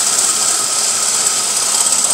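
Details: Chevy Beretta with GM 3.1 engine: a constant hissy metallic chatter with a high whine from the failing AC compressor, which later seized and threw sparks. Fixing the compressor solved the noise.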